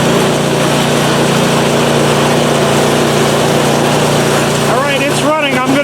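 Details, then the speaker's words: PowerSmart 24-inch snowblower, first start in January 2021 after sitting drained of fuel since 2018: small engine holds a steady, even drone with no misses, knocks or surging; normal running, runs great. "reconfigure and we'll test it out so so she's a runner awesome"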